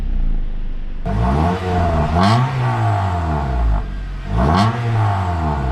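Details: Honda Accord Euro CU2 K-series fitted with a PLM downpipe, high-flow cat and Vibrant ultra-quiet resonator to cure an exhaust buzz, on first start: a smooth, even idle that revs cleanly twice and settles with no rattle or drone; a normal exhaust note.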